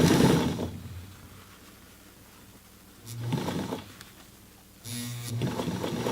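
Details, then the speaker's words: 1968 Singer 237 sewing machine hemming jeans, over thick side seam: quick bursts of fast, even motor whir without stalling or labouring; noise is light foot-pedal pressure, typical of older motors; normal heavy-fabric sewing. "And that noise you're hearing is just me kind of slightly pressing [music] on the foot. It's kind of what all these older motors, the sound they make."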